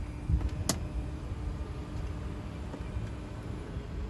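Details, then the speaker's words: Tesla Model X rear captain seat after service (one seat motor replaced, the other greased): steady low motor hum as the seat travels, the earlier midway noise gone, no catches; normal power seat travel. "there was that sound midway so it looks like that's gone too"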